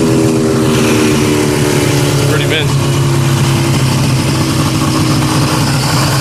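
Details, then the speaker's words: 1972 or 1973 Polaris Colt SS 340 two-stroke snowmobile, about 50 years old: steady even buzzing with no misses or knocks, runs smoothly. "just wanted to start it up for you guys just so you guys can't call me a liar that it didn't run it does run really good"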